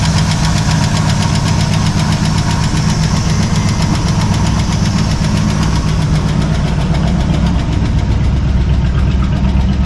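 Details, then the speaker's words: Ford 302 V8 with points ignition in a 1968 Chevy C10 with an AOD transmission, on first start. It idles with a loose rumble and a faint, fast ticking; oil pressure reads 50. Unsure whether the tick is a valve or an exhaust leak. "is that a valve making that noise or is that like an exhaust leak down there"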